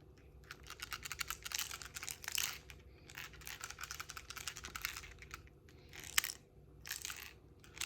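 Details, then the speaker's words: Logitech MX Keys keyboard shaken, bursts of light clicky clatter from a loose piece rattling inside the key area. "I have my MX Keys keyboard which is have it has a rattle within the keys and there is the serial number zoom in it's a serial number and part number and the rattles coming from inside this area here I'll just demonstrate that"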